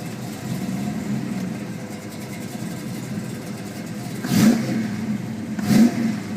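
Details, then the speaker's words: 1972 Chevelle SS, 502ci RamJet fuel-injected V8 of over 500hp, 400 Turbo automatic, Flowmaster exhausts: an even burble at idle with two sharp throttle blips that rise and drop back cleanly. It idles perfectly and sounds healthy. "In a couple of minutes I will start the car up, let you hear the engine, of course, like I usually do, and man, it just sounds great, and it idles perfectly, and again, being that it's fuel injected, it's just an overall nice car to drive."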